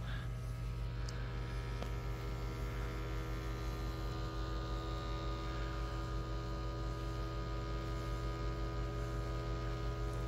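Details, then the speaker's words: LG UP970 4K Blu-ray player spinning an off-balance disc at up to 5,000 RPM gives a loud, steady, buzzy drone. Heavy label ink printed off-centre on the disc causes the imbalance and vibration. "So this is the issue we're fixing, and it happens with all these cheap 4K players because they spin the disc at up to 5,000 RPM in order to achieve the data rates to transmit that 4K signal."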